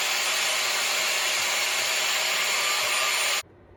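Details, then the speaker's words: Bissell ProHeat 2X Revolution Pet Pro on wet setting cleaning upholstery: steady high-pitched suction roar with airy hiss, spraying solution and extracting, then clean cutoff at shutoff; operating normally. "And then once you've covered your spot in cleaning solution, then you're just gonna go ahead and let go of this, and that will suck up the extra water, the dirty water that's sitting in your upholstery."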